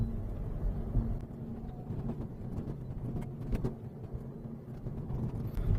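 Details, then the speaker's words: Japanese manual car (Mazda), old, driving over small continuous bumps: loose irregular rattling that is silent on big bumps or when parked. Exhaust heat shield suspect ruled out; tying the rear bumper stops it, showing worn clip holes on the rear bumper. "我们可以断定了这个异响呢又出现了就哗啦哗啦这个异响，其实不是铁板响，就是后保险杠因为它这些卡扣呢都磨光了，保险杠那些卡扣孔呢都已经磨光了"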